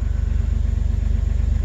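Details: 2006 Jeep Wrangler TJ Unlimited, 4.0 straight-six, after replacing the oil pump drive assembly and camshaft position sensor for a P0016 code. Smooth, even low thrum with evenly spaced pulses and no misses or ticks. Normal warm-up idle.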